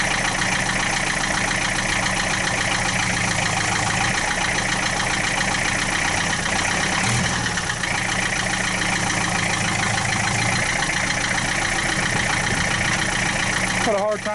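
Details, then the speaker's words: 1966 Austin London taxi diesel, first start in years, started without glow plugs at about 35-40°F: loud busy clatter at steady idle, no misses or surging, about 50 psi oil pressure, no smoke; normal idle. "this has got a little bit of a noise that uh i've heard in a lot of diesels that uh i'm not saying that it's a bad noise but i mean it's just got a loud it's a loud diesel"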